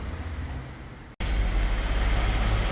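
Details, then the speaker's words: 2017 Honda HR-V 1.8 at its 120,000 service, cold engine after replacing a noisy, leaking belt tensioner and the drive belt: steady, even low rumble with no squeal or chirp; clean normal idle. "hrv pronto sem barulho tensor novo Correia nova aí motor funcionando Tá frio né nem chegou a esquentar né ó sem barulho nenhum"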